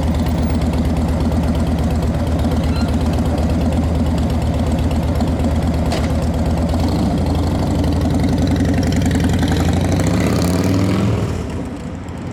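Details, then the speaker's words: 2010 Harley-Davidson Dyna Wide Glide, fuel-injected V-twin: steady, lumpy potato-potato idle at about three pulses a second with no knocks or misses, with the fuel injector audible. Normal, healthy idle. "Love these fuel injected bikes. They're so easy. You can hear the fuel injector do its thing, and"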